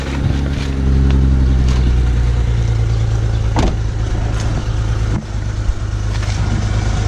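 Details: 2008 BMW 335xi coupe, ~88,000 miles, cold start at 7:30 am: uneven idle with irregular stumble, dips and rattle; small misfire and injector tick, smooths when warm.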